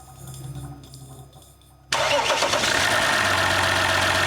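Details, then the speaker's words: 2019 RAM 1500 with a replacement 3.0L EcoDiesel engine, first start after the swap: after a short crank with the fuel pump audible, the engine catches at once and settles into a steady, even idle with no knocks or misses. Healthy, no leaks. "Wow. Like a car. Beautiful. Quite a nice engine. We got lucky this time."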